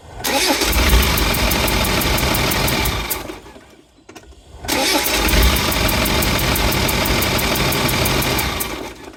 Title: 300Tdi noise. Sounds more like a compression leak than an exhaust leak?